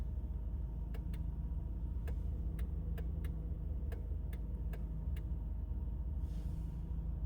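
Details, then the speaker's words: 2008 Honda Accord 2.4 L at idle: sharp irregular relay clicks from driver side under dash, with turn signals, hazards and some door locks dead; fixed by replacing the MICU fuse/relay unit behind the OBD port. "It's making this weird clicking noise now. I don't know what it is. It's coming from under the here somewhere."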